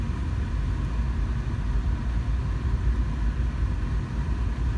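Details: 2005 GMC Envoy 4.2L with P0480 code and electronically controlled viscous fan clutch, no electric fans, A/C on: deep steady roar of fan running hard at idle, smooth, no scrape; ECM controlling the clutch, fan engaging properly.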